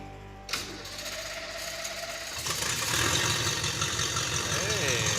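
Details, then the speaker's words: Project car's engine, on the first start in a long time: a click, a short crank, then a steady, even idle with oil pressure and no smoke. Water then sprays from cracks in the carburetor hat; head gaskets suspected. ">> just like that. And it's not smoking. We got oil pressure."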